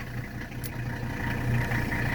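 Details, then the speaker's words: 1983 Mercedes 300CD (W123) turbo diesel right after a cold start: a steady, low diesel clatter at an even idle with no misses or knocks. The engine sounds healthy. "So this is a cold start, and we'll also show a blow-by."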